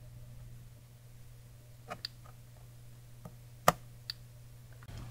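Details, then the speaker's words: Tandy PC-1/Sharp PC-1211 pocket computer after refurbishing the printer/cassette interface. The remote relay is triggered manually with the mic held close. Quiet low hum, then faint sharp clicks from the small relay switching: normal relay click. "you might have just been able to hear that little relay inside clicking"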